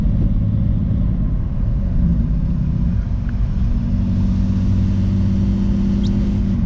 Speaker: alright guys was so far she sounds pretty good